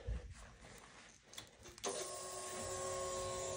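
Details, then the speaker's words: 2022 Kawasaki Z900 after a damaged ECU was replaced and the immobilizer programmed: a short electric whir at key-on becomes a steady hum, the fuel pump priming normally. The dash shows neutral and 18 mileage. "you hear the pump priming uh Dash is showing rain gear neutral mileage 18"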